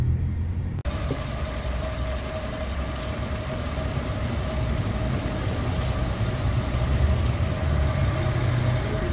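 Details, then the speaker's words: Toyota 1NR-FE engine near 400,000 km, idling before timing chain replacement: busy clattering rattle with steady thin whine above it; timing chain rattle from worn chain and tensioner at high mileage. "guys short video tayo isalpak na natin yung ano yung timing chain kasi ang tinakbo po nito magpo 400,000 na ah pakinggan muna natin yung ingay"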